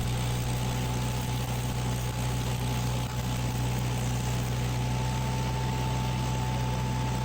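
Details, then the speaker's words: Miller Bobcat 225G welder/generator after replacing split fuel pickup tube that caused crank-no-start: steady even drone with constant hum, no misses or knocks; engine running normally, repaired. "engine is running and yeah welder is functional again"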